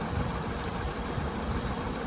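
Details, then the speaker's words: 2005 VW Golf Mk5 1.6 FSI after new spark plugs and a coil pack for a P0302 misfire: steady, even low idle rumble with no stumble or skipped beats; rough idle gone, normal idle. "but that misfire has definitely gone alhamdulillah we'll check that code again in a second but that rough idle is definitely gone let's go and see it from outside oh guys so check this out because it's running really smooth now you see"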